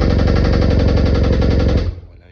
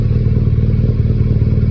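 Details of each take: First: BMW R nineT flat-twin motorcycle, right-side connecting rod problem: fast hard metallic knocking on every firing pulse until shutoff; connecting rod knock, engine to be replaced. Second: BMW R nineT boxer after repair of a connecting rod problem caused by oil level not checked for nearly 5000 km. New spark plug, coils and tank refitted; second start, with a PC connected for synchronisation. Deep, even idle burble with no tapping; slight exhaust smoke is normal. Healthy.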